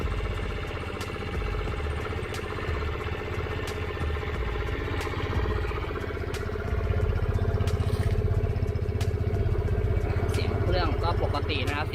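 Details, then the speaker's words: Used 2021 GPX Drone keyless scooter, 6,588 km, stock unmodified exhaust: steady low putter about three beats a second, quiet, smooth and even with no belt whine; normal idle. "เสียงท่อก็เงียบๆนะครับผมยังเดิมๆนะครับอันนี้ไม่มีการแต่งใดๆทั้งสิ้นนะครับ"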